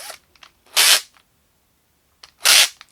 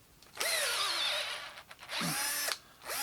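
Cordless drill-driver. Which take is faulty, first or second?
first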